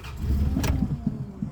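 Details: Vehicle with failing fuel pump (about 40 psi), fed via makeshift pressurized bottle at 10–25 psi from a tire inflator: catches, surges, sags with stumbling pulses; rough running, struggling, doesn't like 25 psi.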